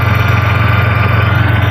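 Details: 1992 Ford Taurus after tune-up with new distributor and O2 sensors: steady, even low throb with a smooth regular pulse, no knocks or misses. Healthy normal idle.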